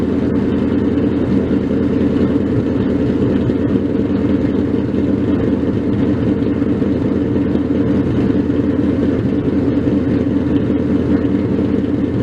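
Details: 302 stroker Mustang V8 with big cam, first cold start after rebuild: loud, deep cold idle with a lumpy lope about one pulse per second, otherwise even with no knocking; normal cold idle.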